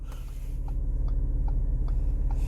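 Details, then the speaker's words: Audi SQ5 panoramic sunroof area, driving: light regular ticking about twice a second over low road rumble; loose interior trim panel rattles, noise stops when pressed; broken trim and bent pins found. "이게 소음이니까 이게 문제인 거예요 하나 잡기 시작하면 소음이 이 소리가 나는데 여기 누르면 안 나죠"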